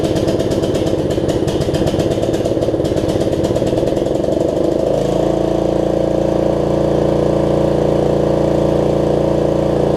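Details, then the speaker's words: Snapper rear-engine rider, single-cylinder, test ride after a new deck belt and throttle cable repair, before the carb cleaning: chugs with slightly uneven beats, then the note shifts and wavers; owner suspects gunk in the carburetor. "um and what else throttle's working carb sounds like it's got a little bit of gunk in it"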